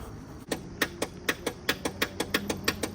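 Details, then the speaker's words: John Deere LA130 riding mower with a broken positive battery cable connector: the engine never turns over, only a dry click about three times a second in near silence when cranking is tried; the fix is replacing the positive cable. "or this is broken it connects over there it's called John Deer positive battery connector and I'll show you how it sounds if I try to crank"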